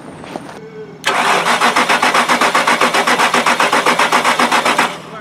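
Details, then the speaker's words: 2006 Lincoln LS 3.9L with no start, no spark, no fuel and no engine computer communication, jump pack connected: strong even cranking about four beats a second for four seconds, never fires; cause not yet found, 5 V reference checked OK. "무어야!! 여전히 시동이 안되는데 잠깐~ 여기 5V가 나오는지 확인하고"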